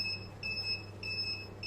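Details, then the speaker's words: Backup inverter on Electronicx 12 V 100 Ah gel battery powering boiler and Wi-Fi router, after over 6 hours, battery about 11.7 V dropping to 10.9 V: sharp high beeps every 0.6 s; low-battery warning, battery discharged. "фактично чуєте який писк блимає остання ця акумулятор фактично розряджений тому будемо виключатися"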